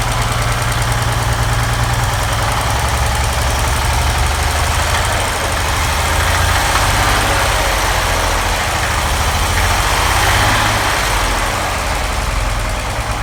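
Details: 1940 Chevy 216 at idle with oil pressure around 5 and needing a rebuild: a steady, deep knock about four a second over a rough idle, worn crankshaft bearings knocking.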